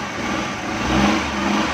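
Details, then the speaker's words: Suzuki Ravi (Bolan) van after its morning starting problem was fixed with a new gas kit relay and the bypass wiring removed, CNG kit on: a short clean rev that rises and settles with no cutting out or sputter; normal. "तो ये सारी चीज़ें चेक करने के बाद हमने गाड़ी starting position में ले आए हैं।"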